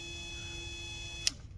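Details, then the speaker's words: 2010 Ford Fusion Hybrid auxiliary coolant pump, powered directly with 12 V while diagnosing codes P0A7C, P1A14 and P0A3E: a steady, thin electric hum that cuts off with a click when power is removed. The pump works fine. "i want to give it a 12 volt and see if that that palm uh comes on and you guys can listen to this it's on"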